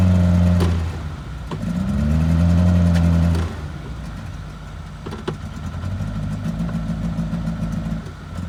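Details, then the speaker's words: Old engine being kept running with starting fluid sprayed into the carburetor horn and making white smoke: revs surge, sag and catch without settling; it runs rough and struggles to stay running. "me it ain't happy it is not happy"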